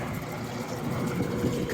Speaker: all right here you can see it running fired right up motor starts strong runs strong runs nice and quiet nice and smooth you can barely hear it